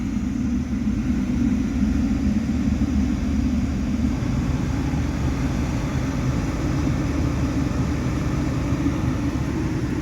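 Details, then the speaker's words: 1980-1989 Lincoln Town Car Mark VI automatic temperature control after sensor replacement and cleaning: steady, even rush of air with low hum, no rattle or whistle; blower back to full blast cold air after testing hot. "And we're blowing full blast cold air again."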